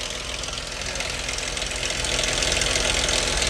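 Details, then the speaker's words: Apparently a Dodge Charger, 2.7L V6 idling, AC off: busy, fast metallic valve train clatter from one side of the top end; mechanic suspects a sludged engine. "Y'all hear that clattering noise? You know what's weird, guys? Sound like it's coming from this side."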